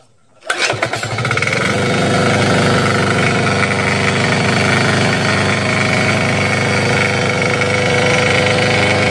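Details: Crown CDP 80 3-inch single-cylinder diesel water pump, fuelled with diesel and oil, primed with water, decompressor released at top compression: quiet, then a quick catch and a steady, even clatter about 3.5 beats a second; normal start and idle.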